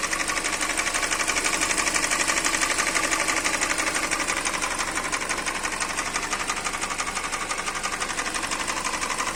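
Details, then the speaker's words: 2013 Hyundai Elantra 1.8 engine at idle: light, sharp metallic tapping about twice a second, cause not yet clear; engine knock. "Hyundai Elantra 1.8 мотор. Стук двигателя."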